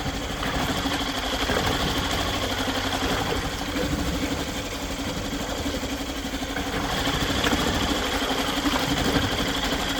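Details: Yamaha 2.5 hp four-stroke outboard after carburetor installation and fresh oil change: steady, even idle with light mechanical chatter, no misses or knocks; normal idle.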